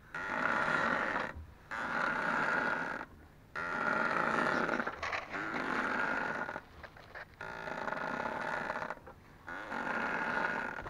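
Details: Ford Focus 2, 2.0 automatic, new Loebro drive shafts at 1000 km: both outer CV joint boots, left and right, squeak as the wheels are steered, with repeated rubbery squeals at one fairly high pitch, each about a second long with pauses between.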